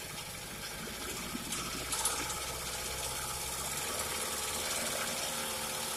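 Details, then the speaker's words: Early-1950s Goodyear Sea Bee 5 outboard boat motor, first run in many years after draining the old gas: a fast, even two-stroke buzz with a steady rapid beat and no misses or knocks; it runs smoothly. "i was excited that that motor ran i really didn't think it was gonna"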